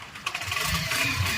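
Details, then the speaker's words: TVS Victor motorcycle at idle: light, irregular metallic rattle from the clutch side, not the engine, crank or cylinder; the noise stops when the clutch lever is pulled in; worn clutch bell bush. "இது வந்து பாத்தீங்கன்னா engine sound கிடையாது கிராங்கோ cylinder கிட்டோ எந்த சவுண்டும் கிடையாது கிளட்ச்சோட sound தான்"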